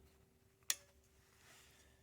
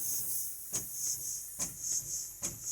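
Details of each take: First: 1948 GMC Silversides bus air-powered wiper motor, cleaned and lubed: single crisp click over faint hiss as the air valve switches direction between the two piston chambers; normal valve operation. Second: 1948 GMC Silversides PD3751 bus air wiper, valve cleaned of gunk and wiper arm swapped: steady high air hiss under the rhythmic swishing, about once a second; the valve shaft leaks air and needs an O-ring, though the wiper works.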